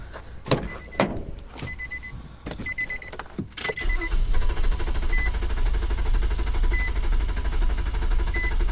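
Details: 2007 Nissan Quest with new fuel pump that ran then quit: a few clicks, then a steady cranking drone that never catches or speeds up; cranks but won't start.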